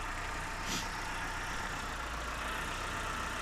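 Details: Proton 1.5 SE idling, day one after being checked over; no coolant found, slight alternator belt squeal on startup blamed on a not fully charged battery: steady even low rumble, no knocks or misses; normal idle.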